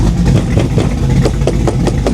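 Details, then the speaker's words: 1987 Chevy Monte Carlo SS, 500hp carbureted V8, warmed up with choke now wide open: deep, even burble at idle with steady lope, no misfires or knocking, smoke stopped; idle sounds good, choke functioning normally. "I imagine the choke is open by now. Idle sounds pretty good. Yeah, choke is wide open, so it's functioning like it's supposed to."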